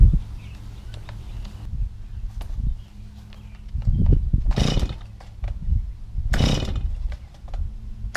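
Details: Stihl MS250 chainsaw after replacing a leaking fuel line that sucked air, run on stabilized fuel: small two-stroke starts and settles into a low, slightly uneven idle with a few short throttle blips, keeps running normally.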